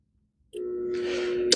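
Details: Antique Viking 3/4 in x 100 ft sewer rodder with a Dayton 1/3 hp motor: a steady electric hum with no run-up, ending in a switch click. The motor fails to start, and the owner suspects a bad capacitor.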